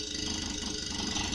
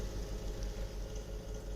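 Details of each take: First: Samsung fridge; foam had got into the unit and may have caused the earlier noise. The motor now runs quietly, a low even hum with a soft airy whir and no knocking or rattle: normal compressor running. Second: Samsung refrigerator with linear compressor: deep hum with a dull repeated thumping in the first second; the linear compressor is knocking and has failed.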